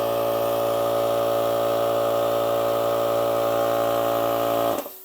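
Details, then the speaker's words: Old Craftsman compressor, in sound comparison with a DeWALT 26-gallon Ultra Quiet compressor (175 PSI, rated 65 dB): loud, steady motor-and-pump drone, even hum, runs smoothly until switched off. Normal running. "Pretty big difference in sound, I would say. I mean, as far as quiet wise, if I was just judging this DeWALT off how quiet it is, yeah, I mean, I think it's relatively quiet for sure."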